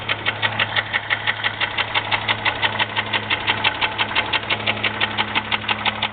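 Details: 2001 Jeep Grand Cherokee 4.0 at idle, oil changed regularly, with a noise that started suddenly: sharp, evenly spaced knocks about three per second, locked to engine speed. Owner asks whether it is piston slap or rod knock, unconfirmed, before pulling the oil pan.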